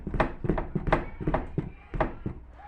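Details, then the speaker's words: Fiat Tempra raised on a ramp: dull, uneven clunks as the exhaust is shaken by hand. Something is loose in the exhaust; the car also knocks over bumps and potholes. "E já aproveitar também, já fazer uma revisãozinha no escapamento. E aqui também, ó. Olha o barulhinho, ó. Ó. Tem alguma coisa solta aqui,"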